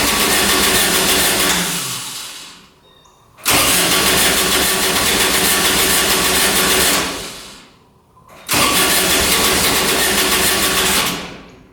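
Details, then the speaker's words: Kubota RTV900 diesel UTV (2007 or 2009), bought at auction, was blowing white smoke: repeated long cranking, starter churning steadily, engine never catches; 12 volts and fuel reaching filter, but owner suspects fuel not getting through; crank no start. "Crank her over. Nothing. [Music] Wants to go. Nothing. Hm. Doesn't want to go."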